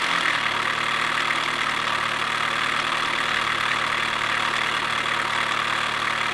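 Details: 2007 Chevy Cobalt SS Supercharged at idle after a morning cold start: loud, fast ticking knock about three or four a second; owner suspects a bad timing chain tensioner, unconfirmed.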